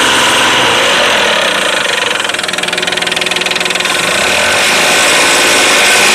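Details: Engine at steady idle with a sharp, even tapping about three times a second. Engine knock of unknown origin.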